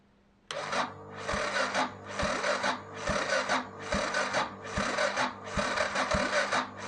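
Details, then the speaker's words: 1993 Yamaha XT 600 E (3TB) that sat about 12 years, no exhaust headers, fuel primed: slow, labored cranking, a heavy heave about once a second that never catches; starter too weak to crank it over, fuel leaking out the exhaust. "so that didn't happen the starter was not strong enough to crank over the fuel and you probably can't can see that the fuel leaked out the exhaust"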